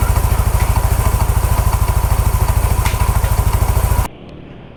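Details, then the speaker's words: Motorcycle running; loud choppy pulse about 200 a minute, harsh and coarse, engine sounding rougher than before, oil judged merely average — rough engine running. "bensinnya masih belum maksimal tapi jelas bahwa suara mesin sudah makin kasar"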